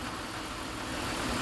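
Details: Pontiac Bonneville SSEI after transmission swap, warm, coolant bled and transmission topped off with about 4 quarts; smooth, steady idle, even low rumble, no knocks, misses or squeals: normal idle.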